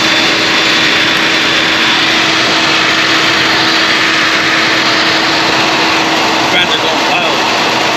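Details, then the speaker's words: Cooling fans blaring at a loud, steady rushing roar with faint constant hum that never eases, though coolant temperature is down and AC is off; fans running constantly when they should not. "I'm gonna show you all these fans so I don't even the coolant temp is down right AC is off right I'll turn the AC off these fans are just blaring they should not be like that it's going crazy"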